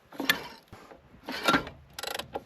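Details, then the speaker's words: Peugeot 405 Mi16 at first restart attempt, crankshaft turned by hand: sharp clacks and ratchety clicks as it binds, releases and rebinds; starter pinion suspected stuck engaged, source unknown. "un de ces boum et là je peux faire ce que je veux il est bloqué et si je repars dans l'autre sens dans le bon sens cette fois-ci il bloque il lâche et il rebloque."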